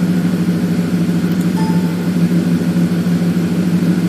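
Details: 2007 Ford F150 5.4 V8 idling after new Bosch fuel injectors were fitted for a misfire on cylinders 1 and 7: steady, low, even burble with no skipped beats; fuel rail pressure 270 kPa as desired.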